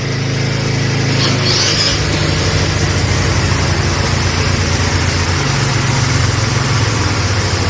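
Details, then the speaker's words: GY6 50cc scooter after replacing a broken exhaust stud: a lot quieter, better than open exhaust, settling toward idle; steady, even putter with no ticks or exhaust popping; smooth and healthy. "A lot quieter now. It's better than open exhaust. I should idle down here in a sec."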